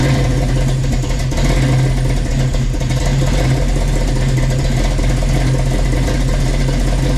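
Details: 1967 Chevy Nova with a freshly swapped 350 V8 (Blueprint Engines heads, Offenhauser Port-O-Sonic intake, Trick Flow cam), heard from the exhaust: deep, even burbling idle with steady lope, no knocks, ticks or misses; healthy.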